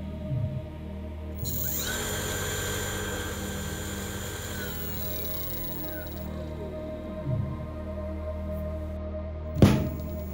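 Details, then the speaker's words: Car alternator converted to a brushless motor, run by a brushless controller on a 55 V supply and turned up to maximum speed: smooth steady hum and a clean high whine, no knocking or rubbing; normal running. "Khi chúng ta di chuyển chiết áp, động cơ bắt đầu tăng tốc. Chúng tôi đã đạt đến tốc độ động cơ tối đa."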